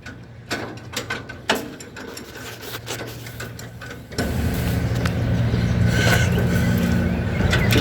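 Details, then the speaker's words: Ford 9N tractor cranking but not starting despite confirmed spark: the starter turns it over with a rough, uneven churning at about three beats a second but it never catches; spark timing still unverified. "Yeah, go ahead and crank it. It's got spark."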